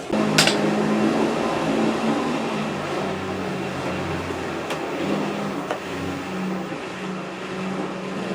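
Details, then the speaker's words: Top-load washer (replacement for a failed Whirlpool) draining wash water after agitation: a steady low hum that comes and goes with a few light knocks. The drain pump is working normally. "All right, it just started draining the wash water."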